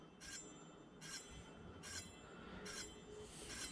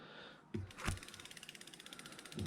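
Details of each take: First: Samebike L026 version 2 e-bike, newly upgraded disc brakes, wheel spun after pulling caliper top toward him; disc possibly slightly bent. High scraping swish about every 0.8 s, still rubbing a little: brake disc rub from misaligned caliper. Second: Samebike L026 version 2 e-bike, newly upgraded disc brakes, caliper aligned by holding it while spinning wheel, before tightening bolts. Quick even freewheel pawl clicks slowing gradually, no scraping: normal freewheel clicking, no brake rub.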